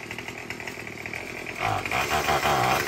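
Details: Murray M2510 two-stroke string trimmer after no-start repair; catches and settles into buzzy steady run that picks up evenly, no misfire or sputter; running normally.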